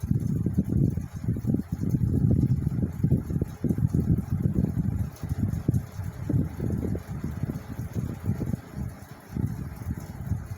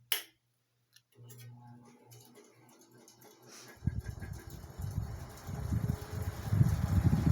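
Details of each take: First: 1979 Cirrus 70 cm all-metal pedestal fan (150 W, 110 V, 4 µF capacitor, 2 speeds) on minimum speed: a soft, low air rumble with no rattle; the heavy blade is slow to spin up. Not very noisy. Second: 1979 Cirrus 70 cm metal pedestal fan (150 W, 110 V, 4 µF capacitor) switched to maximum speed: a rising low whooshing rumble with faint ticking. A little running noise, but it moves air very well; the speed switch has a bad contact.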